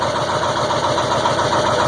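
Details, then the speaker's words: 2002 Ford F350 7.3 Powerstroke diesel, cold start at about 34°F after 2–3 minutes of glow plug warm-up: steady clatter with slightly uneven pulses just after catching following 8.5 minutes of cranking, white smoke; cause of hard start unknown. "when it finally catches see there it goes now watch all the [Laughter] [Laughter] Smo let R it 8 and 1/2 minutes it took for this thing to start just smoking"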